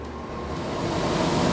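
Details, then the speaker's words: Miller trailer-house furnace after blower repair, squirrel cage re-clocked and centered: smooth, even rushing air building slightly, no rubbing, ticking or wobble; blowing much harder, normal operation. "much better okay here we go we'll see what happens now very nice blowing much harder"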